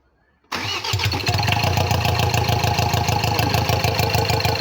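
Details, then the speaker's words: Ford Ranger 2.2 TDCi diesel after engine rebuild, second test start without coolant, intake open: quick catch after brief crank, then steady, even idle clatter with no misses, louder until intake is closed up; normal start and idle. "አነሳሷም ቆንጆ ነው። ይሄ ሲዘጋጋ ደግሞ ሳይለንት ይሆናል ድምፁ። አሪፍ ነው የሚሆነው።"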